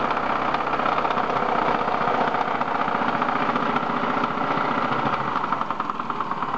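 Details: BMW M42 engine at idle: steady idle with fast uneven tapping knock about three per second from inside the engine; loud knocking.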